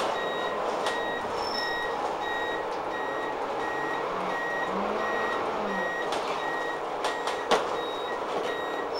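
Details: London bus TPL268 on route 4 to Waterloo, near Waterloo Road. High beeps repeat about once a second over the engine hum. The turn-signal warning beeper is working as intended.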